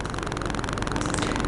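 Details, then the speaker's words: Sony FDR-X3000 action camera with RODE VideoMicro: fast, even electronic tapping under the recording from the camera's wireless radio leaking into the mic cable; fixed by airplane mode (wireless off) or a straight cable. "yes that tapping sound if that's the sound that you hear this video will have two ways for you to solve it"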